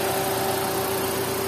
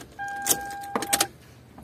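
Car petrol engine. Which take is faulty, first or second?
second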